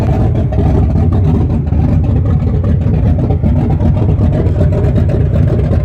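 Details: 1974 Chrysler Newport, slightly tuned 440 V8 with open headers, first start after rebuild with new bearings: deep, even rumble picking up cleanly on throttle, no knocks or ticks; normal idle and revving.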